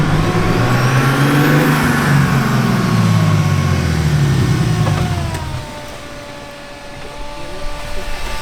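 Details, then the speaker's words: Right-hand-drive turbocharged BMW E36 with Garrett turbo, first drive in parking lot, no boost made: thin whistle rising and falling with throttle over deep exhaust note; loud but normal turbo whine. "Dude, do you hear the Garrett? It sounds so good. Dude, it's so loud. It's so nice."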